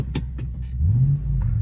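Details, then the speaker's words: Toyota 100-Series Land Cruiser V8 after a bad exhaust leak was repaired with new welds: a deep, even rumble rising smoothly on a short rev with no puffing, ticking or rattles. The exhaust is sealed and healthy and the pipe doesn't hit the chassis. "No rattles. The pipe doesn't hit the chassis anywhere. It's the perfect amount of uh rumble in the car. Not too loud."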